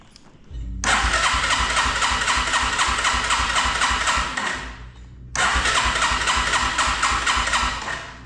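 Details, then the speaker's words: 1987 Yamaha TW200, cold start with choke pulled, said to bog when running: two bursts of fast even starter cranking, about four beats a second, never firing; fuel issue suspected, to be checked with brake cleaner in the intake. "Alright, so it's not firing, obviously. What we're going to do to verify that it is a fuel issue, we're going to spray some brake cleaner."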